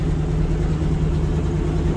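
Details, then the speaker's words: 1980 Ford LN700 farm truck, 370 big-block V8 with a four-barrel carburetor, about 35,000 original miles, sat for a few years, with a bad exhaust leak: even, steady low rumble with no misses, knocks or ticks; a smooth, healthy idle. "see if it'll attack doesn't work dang it seems to run pretty good not too shabby"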